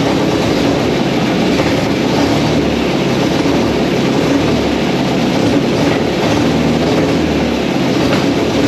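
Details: MGB sat for 15 years, run in the garage on a gravity-fed fuel tank after the carburetors were removed: loud, even engine drone holding steady with no knocks, misses or surging; runs normally.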